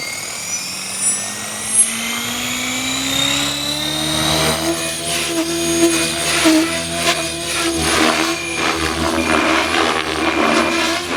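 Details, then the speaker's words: Blade Fusion 480 Stretch RC helicopter on Spektrum 6250HX flight controller, after lowering tail I gain, doing fast loops; rotor whine holds even pitch, tail mostly steady with only a slight wag. "Just here, if you hear that tail wagging and all this, actually it sounds pretty good."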